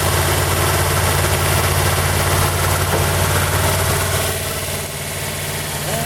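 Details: 1940 Buick straight eight on its first start in 30 years after a valve job, run with the valve cover off: fast, steady idle with an even beat of about three or four per second, held high because the idle adjustment cam rusted stuck.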